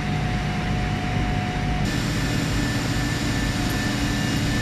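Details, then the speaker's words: JinYoung surface grinder with coolant pump switched on; steady machine hum joined by soft even rush of pump and flowing coolant; normal coolant pump operation. "ਥੋੜ੍ਹਾ ਜਿਹਾ ਤੁਸੀਂ ਸੁਣ ਸਕਦੇ ਹੋ ਬੰਬੀਟਾ ਦਾ ਕੰਮ"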